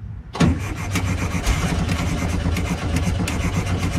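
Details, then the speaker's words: 1968 VW Bus after carburetor reinstall: cranks and catches with a rough lumpy low chug that won't settle into idle; crank no start, mechanic suspects insufficient fuel from a misbehaving float, accelerator pump also questioned. "I'm wondering if you're getting enough goddamn fuel to it. I really think that float is not acting right because of that damn thing."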